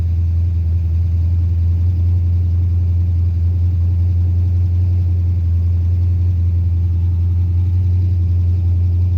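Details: Carbureted 5.3 LS swap in a Mustang with MSD LS-series ignition: a steady low drone held high with a slightly uneven beat and no settling. It starts and dies and idles fast; carburetor, timing or vacuum leak suspected, not confirmed.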